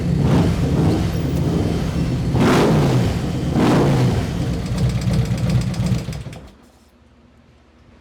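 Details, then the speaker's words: 2024 Harley-Davidson Street Glide 117 V-twin, first start after an Andrews 485 cam install. Rough lope with a fast, light ticking from unprimed hydraulic lifters still pumping up as oil pressure builds, then the engine dies out. "the lifter's got to pump up. I didn't prime it. Thing's gonna have to run for a while to build any oil pressure."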